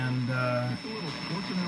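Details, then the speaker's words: Rockseed RS310P 0–30 V / 10 A programmable switching bench supply powering a car radio: steady buzzing tones and warbling carrier-like whistles wipe out the stations; switching supply radiating RFI interference. "oh right away that doesn't sound good can't you hear that radio station this thing is really putting out a lot of rfi and"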